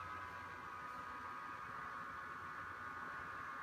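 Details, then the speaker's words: Brookstone slim desk fan on its high setting, the only setting with useful airflow: a steady airy rush with a hissy upper-mid whine, loud and constant. The noise is excessive and distracting. "I am getting pretty annoyed by the sound of this fan if it wasn't for the noise I would actually recommend it"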